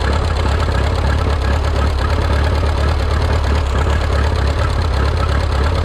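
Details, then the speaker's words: Rebuilt Minneapolis Moline 335 tractor engine, warm (gauge about 140°), tappet gaps readjusted warm: deep, heavy idle with an uneven, stumbling beat around four pulses a second, not firing cleanly; runs rough, cause unconfirmed. "But it just didn't quite seem to be firing quite right. So that's thing two."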